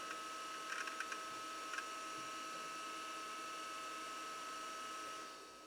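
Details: Amiga 2000 with a SCSI SupraDrive removable and SCSI Zip drive, starting up: a steady fan hum with a few quick drive clicks early on, then the hum settles. Normal startup.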